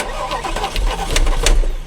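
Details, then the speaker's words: Porsche Panamera with Mansory kit and a dead engine: uneven cranking with harsh metallic grinding bursts on each starter turn, like a cat grabbed by the scruff; noise traced to an area under a cover, cause not yet confirmed. "Tu veux que je tourne la clé juste pour tuentendre le bruit horrible mais Queen elle a mal. Ah ouais. On dirait un chat que t'attrape derrière la nuque."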